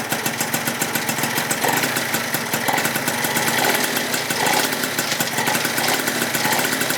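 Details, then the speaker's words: Freshly rebuilt Yamaha Zuma 70cc two-stroke on its first start and heat cycle, warming to about 180: fast, crackly, even ring-ding idle with no misses or knocks. Runs like a champ; normal idle. "First start, boys. Well, damn, boys, she runs like a champ."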